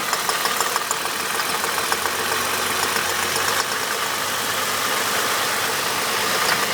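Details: Holden VT engine at idle: fast, fine metallic rattle over a bright, even background; knock or rattle, source not pinned down.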